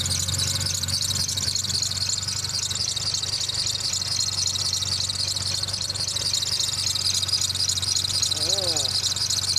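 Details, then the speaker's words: 1993 Ford Taurus, running: quick, fairly steady high chirp about three or four times a second over the engine, likely belt-drive pulley; owner suspects the tensioner, the idler, or both. "might be a tensioner pulling either the tensioner or the eyler or both are chirping"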